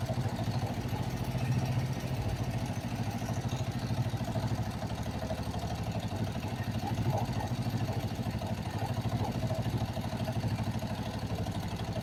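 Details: Kawasaki Vulcan 500 twin after valve adjustment during carburetor synchronization: steady even low putter with slight rhythmic lope; carbs balanced, settled normal idle.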